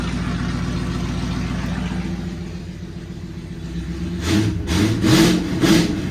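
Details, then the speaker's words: Ford Fairlane V8 started with the muffler removed, running an open pipe: loud raw rumbling idle, then three sharp blatting revs with harsh crackle. "Now you always got to fire the car up with no muffler. It just has to be done. Can't not do it. Let's see how it sounds with nothing."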